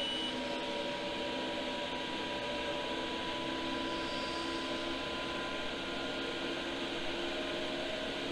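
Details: Iveco Iris bus camper diesel heater (Chinese unit fitted in place of the Eberspächer) after an earlier fan-failure error: fans now running with an even hum and a faint constant whine, making some odd noises but producing heat. Normal running.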